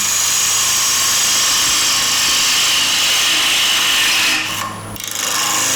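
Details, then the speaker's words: Woodturning a square-edge bowl with a bowl gouge, near the end of the cut: hissy cutting with rapid regular chatter about four hits a second as the gouge skips on the intermittent wings; fix by moving the tool rest in slightly. "so we've obviously just about come to the end there and you can hear that we're actually skipping hitting by the sound"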